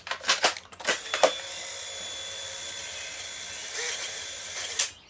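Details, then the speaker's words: Freshly refurbished 1970s Polaroid SX-70 returned under warranty for a long lag between button press and exposure: clicks, then a thin, dragging whir as the drive motor, completely fried, labours for seconds. "can you guys hear that so that has absolutely nothing to do with the tongue the motor in it has just completely fried itself"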